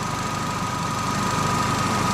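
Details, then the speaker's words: Vauxhall Meriva with air conditioning low side pressure sensor code B3933, at idle: the AC compressor clutch engages and spins with a faint even whine over the idle; it runs normally. "It might go off in a minute now. But it is on at the moment because the fan was spinning. Clutch is going around."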